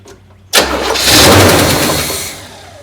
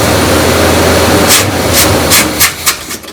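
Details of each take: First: Neglected 1972 Buick Riviera Boat Tail big block, parked 5–7 years and running well when parked, first start on gas mixed with oil poured in: brief crank, then it fires cleanly, flares and settles toward idle; sounds great. Normal start. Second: Neglected 1972 Buick Riviera Boat Tail big block, parked 5–7 years, started after filling the carburetor bowls: loud, fast, even lifter clatter right after start, then it quiets once the oil pump kicks in. Lifter clatter before oil pressure.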